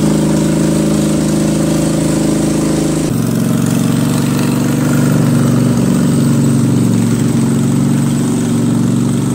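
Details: Craftsman 20.5HP 46" lawn tractor, Kohler Command V-twin, choke off, before carburetor cleaning: speed rises and drops mid-clip instead of holding steady, surging badly at all throttle speeds from a dirty carburetor.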